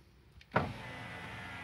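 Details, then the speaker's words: Opel Tigra TwinTop power window after door disassembly and greasing the squeaking roller with chain spray, switch reconnected and ignition on: a click, then a smooth, steady motor hum with no squeal or chatter; normal power window operation. "und sobald diese schalter wieder angeschlossen ist und natürlich die zündung an ist kann man die scheibe wieder bequem herunterfahren"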